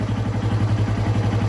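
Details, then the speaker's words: Small single, either the Apollo Blazer 125 or the 1988 Honda NX125, after a new carburetor and throttle, run without choke: quick, even low thump at idle, steady and clean with no misses. Healthy. "and uh let's see how she fires got no choke she's on run sounds good"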